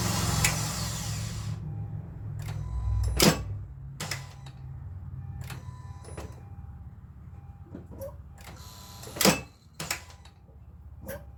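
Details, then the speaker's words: Honda Civic, single dull taps on each key turn with no cranking, as if the engine is locked up; a seized AC compressor whose belt shows heat discoloration is stopping the start while draining the battery. "hat the compressor is going to be locked up internally and that's what's preventing this vehicle from from starting"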